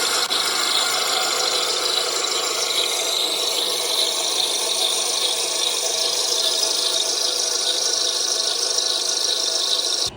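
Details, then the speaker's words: Running car engine with a steady, harsh high-pitched screech from the serpentine belt slipping on its pulleys, most often because it is loose, stretched or dry-rotted. "it's slipping basically bottom line why they squeaking number one reason is that it's slipping okay"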